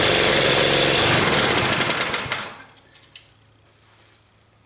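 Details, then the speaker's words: Log splitter small engine after carburetor cleaning, fouled gas still in tank topped with fresh: pops along at an even fast beat a couple of seconds, dies away, brief burst returns at end. "it runs anyway so I probably should have taken all of the bad gas out of the tank"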